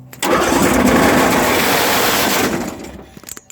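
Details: John Deere 1023, around 2005, single-cylinder 500cc Briggs engine with a jump pack and full choke. Harsh rumble and rattle as it cranks and tries to catch; camshaft, compression release and valves seem fine.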